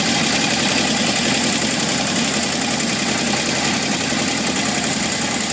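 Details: 1978 Honda CB750F idling with a busy metallic rattle, three to four beats a second, after metal shavings in the oil pan, low warm-idle oil pressure and engine shutting off; owner suspects crankshaft bearings, not confirmed.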